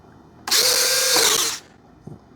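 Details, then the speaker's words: Durafly 1100mm T-28 RC plane retracts: smooth, even servo whir about a second long with a soft clunk at the end of travel; the gear cycles cleanly. "The uh gear go up and down nice and pretty."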